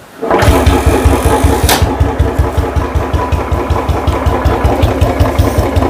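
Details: Royal Enfield 350 just after its silencer was modified and plated, first start after several days unused; no exhaust gas leaks. The single-cylinder thump catches at once and settles to a steady loping idle, about two and a half beats a second, with no exhaust ticking: normal idle.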